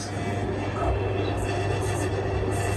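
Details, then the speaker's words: Westinghouse Turbo 2 ceiling fan on maximum speed with the light shade fitted: a continuous low buzz with a rattling edge over the steady fan hum, from the loose shade vibrating; tightening the screws did not cure it. "i've been trying to work out how to stop that rattle that annoying buzzing noise that was happening whenever the the shade was um was on the light"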